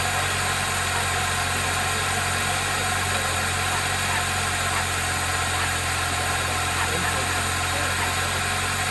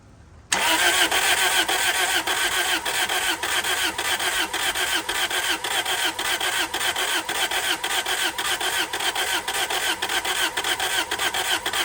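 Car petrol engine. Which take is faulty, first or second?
second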